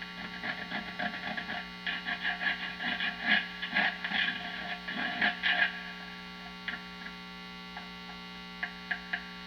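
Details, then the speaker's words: Vintage Telecaster neck pickup wired to a warmed-up amp via a jack: tapping it gives clattery thumps and scrapes over a steady hum, showing microphonics; grounding was confirmed correct, and wax potting is planned. "so this shows me that yes the neck pickup is microphonic now some of those noises are normal"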